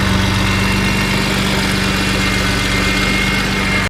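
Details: BMW E46 M3 at idle after fitting Yonaka rasp pipes to a slotted flange with OEM donut gaskets, Megan headers and X-pipe: even steady idle with a smooth raspy note, no ticking or puffing. No exhaust leaks, running good.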